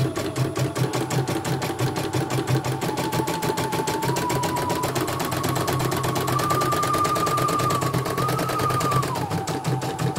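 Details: CNY E900 embroidery machine with heavy rotation and a hissing noise, after replacing the motor and testing the sensor: fast, even needle chatter with a smooth, slightly rising motor tone and no skipped stitches, a healthy run.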